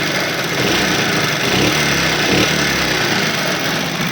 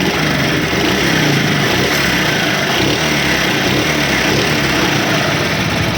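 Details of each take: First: Small motorcycle engine revving briefly, hand over the muffled silencer, light clattery ticking over the engine note, before repair; tappet noise from loose valve clearance. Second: Small motorcycle engine running steadily and evenly with no ticking from the valve gear, heard after a no-cost fix of internal engine noise, hand held over the silencer while throttle is given.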